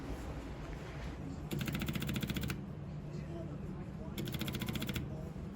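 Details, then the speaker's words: 1934 Ford Model BB flathead V8 truck, 89 years old, hard to start after sitting, fitted with a positive-ground electric priming fuel pump on a push button: two short bursts of quick, even ticking per press. Fuel pump priming normally. "right here's the push button all I have to do is push that and that turns on the fuel pump just momentarily and you can hear it"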